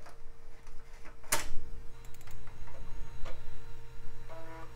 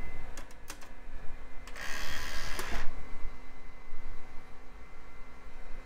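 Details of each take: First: Early-mid 2000s desktop PC floppy drive under test: quick bursts of ticking and buzzy stepping as the head seeks, then a short chattering run; drive works normally and is noisy. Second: Early-to-mid-2000s PC's aging CD burner reading a CD-R: sharp ticks, a short whirring spin-up and more clicks as it keeps seeking and can't settle on the disc; owner suspects the laser voltage needs adjustment.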